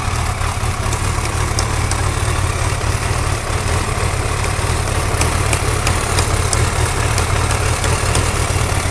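Steady low idle with faint, irregular light ticks riding over the top; a ticking at idle whose cause can't be pinned down.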